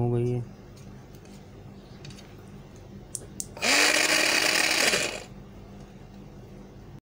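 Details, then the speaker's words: Rechargeable portable juicer blender that charged but wouldn't switch on, after repairing its switch: motor spins up to a smooth, even whir with no rattle or stutter; runs normally. "तो यह machine हमारी okay हो चुके हैं"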